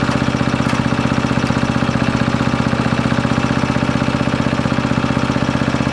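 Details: Briggs & Stratton 13.5 riding mower engine bolted to bench, gas fed to bowl, earlier flooded, mouse nest inside: single cylinder firing steady about three beats a second then labouring; runs but bogs and stops, owner suspects flooding/hydrolock or mouse nest.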